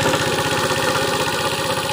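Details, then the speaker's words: Neglected Tao Tao scooter started after sitting for years, possibly dry-started: fast even top-end tapping, about thirteen per second, at idle; owner hears valves rattling, also suspects connecting rod, unconfirmed. "okay uh on top so i can hear the valves up here just for rattling"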